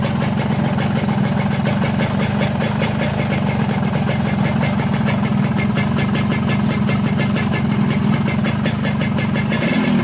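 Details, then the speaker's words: 2003 Yamaha RX-King two-stroke after a new piston for a loose, slapping piston: fast, steady burble with an even beat and no rattle or clatter, a smooth normal idle. "Kami sudah mengganti pistonnya dan suaranya kembali halus, teman-teman. Tidak ada suara berderak seperti kemarin."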